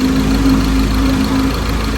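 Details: Ford Ranger 2.2 diesel after injector repair (no-start fixed), next morning with sound-deadening pad fitted, quieter than the day before: smooth, even clatter at steady idle, no misses or knocks; healthy.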